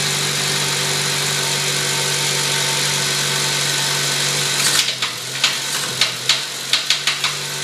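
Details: 2008 Honda Civic Si running: steady engine hum, then loud sharp knocks about three a second break in; a very loud knocking that started suddenly.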